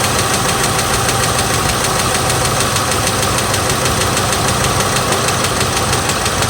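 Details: 2006 GMC Envoy XL Denali, 5.3 L V8 LH6 Vortec with Displacement On Demand, 68,400 miles, idling and revved: a dull rod knock under fast, busy lifter-like tapping after repeated loss of oil pressure.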